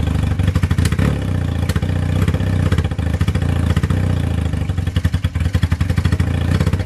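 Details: 1978 Honda CB250 Twin after valve clearance adjustment: idles low and unevenly, responds to choke, and each throttle blip breaks into ragged, stumbling pulses instead of a clean rev; sputters under throttle.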